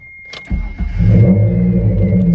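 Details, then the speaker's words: Mitsubishi 3000GT after chassis swap with engine, transmission and gas tank moved over, near straight-pipe exhaust: brief crank, catches in half a second into a smooth even idle; healthy start, small rattles are loose exhaust tips. "so here's how it sounds the little rattles is just the exhaust exhaust tips they are loose as you can tell"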